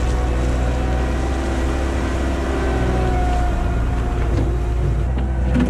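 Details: 1999 Bobcat 864 tracked skid steer test-run after replacing the weak, whining right-side drive motor with a rebuilt one: even diesel under work with a faint steady hydraulic tone, no clunks or grinding; drive now working well.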